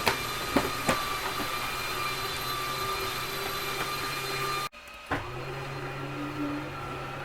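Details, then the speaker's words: Whitehawk 32KBS RV living-room slide-out extending: steady electric motor whir, then a brief grinding held at full extension, which is normal as the mechanism stops itself sliding further. "close the exterior door so you could hear me plus i want you to hear that little grinding noise that i purposely held for a couple seconds that's fine to hear that nothing's grinding nothing's hurting anything it's just the way the uh mechanism keeps itself from sliding out any further"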